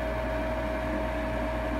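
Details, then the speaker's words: Lennox Elite G51MP 90-plus attic furnace, new combustion draft inducer motor replacing the roughly 8-year-old original that was noisy and worsening; smooth, quiet, steady constant-tone hum, no rattle or grinding, much quieter than before. "and we'll wait for it to light off here but it appears we've got success the motor is a lot quieter"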